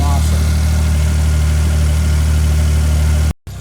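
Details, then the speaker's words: Old fuel-injected four-stroke snowmobile after 30 days underwater, dried out, oil and water-filled chain case drained, connections greased: low even idle with steady beat, no misses or knocks; normal idle. "we'll let her we'll let her run for a minute awesome awesome awesome"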